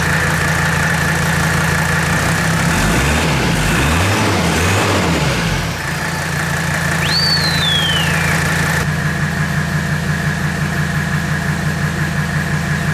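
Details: 1984 Mercedes W123 300D turbo diesel that had been sitting, at idle: steady, even diesel clatter with a smooth regular beat and no stumbles. Owner calls it the best-running old car he has had.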